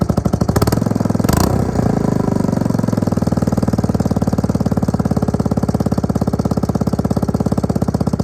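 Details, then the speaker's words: Suzuki LT250E Quadrunner quad after fuel pump replacement for idle and starting problems: brief throttle blip, then steady single-cylinder thump settling to a smooth regular idle with no hunting or surging; now fixed. "alrighty that's now fixed"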